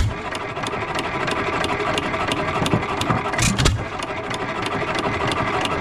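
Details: 3 hp Economy Model 3G hit-and-miss engine, possibly 1923, auction-bought, first run after priming: sharp even firing beats about three a second with loose mechanical rattle between, smoking a little, no rod knock heard though owner unsure; normal running.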